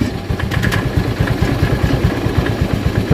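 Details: Honda Vario 110 scooter with lost electrics, non-charging battery, new regulator, shorted starter relay and sticking starter, started by kick after jumpering: steady low putter, even firing pulses, no misses or rattles; normal idle after repair.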